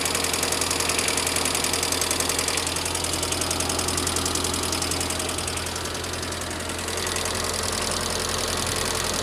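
Quick, even light ticking, roughly three or four per second, over a steady idle; sounds like top-end tapping, likely lifters.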